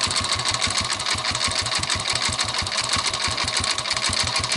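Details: 2006 Yamaha Vega R New with hard, sticking kickstarter and suspected crankcase wall bearing noise: harsh rattly clatter over a fast uneven idle; engine sounds rough inside, cause not confirmed before teardown.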